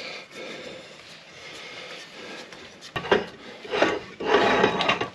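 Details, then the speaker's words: 1999 Jeep Grand Cherokee WJ rear axle wheel bearing, turned by hand with rotor off during axle removal: short gritty rasping bursts with each push instead of smooth spinning; worn, rough bearing. "so now you can see that wheel bearing we were talking about yeah that thing cannot be right"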